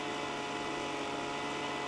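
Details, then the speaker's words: Leaf blower two-stroke engine, high-speed screw about 1¼ turns out, tube blocked against the ground at full throttle: uneven burbling drone instead of clean scream; rich high-speed mixture four-stroking, before leaning the screw. "Now, we'll block that tube by pressing it into the ground, going to full throttle, and then listening for that distinct four-stroking sound that we mentioned earlier."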